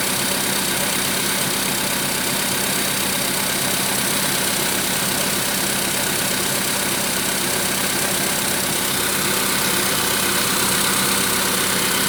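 Steady idle with a sharp, metallic tapping about three beats a second that rides over the engine; knock present at idle.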